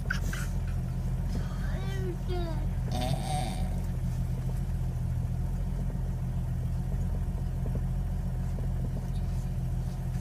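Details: 1998 Jeep Cherokee XJ Sport, no check engine light, after replacing IAC, TPS, plugs, wires, cap, rotor, fuel pump, air filter and cleaning throttle body: steady but fast idle, constant deep hum; owner suspects IAC.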